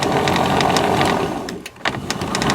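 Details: Jobo CPP2 film processor control head agitator motor, speed knob turned up; small motor whirring with steady mechanical patter, brief drop as it reverses direction, then picks back up evenly. Running normally.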